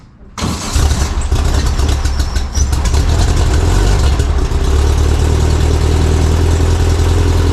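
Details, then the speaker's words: VW single cab ute flat-four after fitting a Vintage Speed stainless steel exhaust: brief crank, then a steady, even, fairly quiet idle with a smooth low rumble. Noticeably quieter than before, and it sounds healthy. "so good unreal there you go so that's the sound of the vintage speed exhaust that sounds nice"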